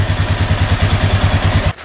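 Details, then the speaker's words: 2007 Honda Rubicon 500 ATV starts right up after an oil change with 4 quarts in: even, steady single-cylinder idle thumping at about seven or eight beats a second, no knocks or ticks, then shuts off; sounds really good. "Starts right up. Looks like the tail light's working too. Cool. Engine sounds really good."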